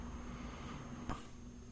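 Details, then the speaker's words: 1994 Toshiba CF26C30 26-inch CRT TV with intermittent power-up, tested after splicing cut wires and replacing capacitors: two sharp relay clicks over faint hum, then no power-up, though high voltage charges the picture tube; cause not confirmed. "oh yeah I forgot to say it's not powering up but part of this set is powering up because it did charge the piture tube up so the high voltage is working"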